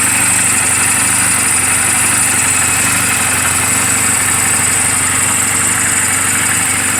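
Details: Reference sound of a healthy 2007 Honda Rebel 250 and its valves, idling in neutral just after an oil change and valve clearance adjustment; steady putter with regular firing pulses, no ticking or misses. Mechanically sound, only cosmetic flaws. Normal idle.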